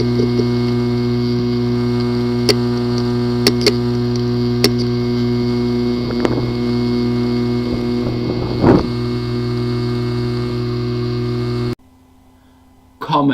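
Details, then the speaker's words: Seagate Backup Plus 1 TB 2.5-inch drive (ST1000LM035), not detected by any computer: steady electrical hum with sharp, irregular clicks about once a second from a physically damaged head and platter assembly. "the following is the sound from welcome the hard drive which experienced disk assembly physically damaged"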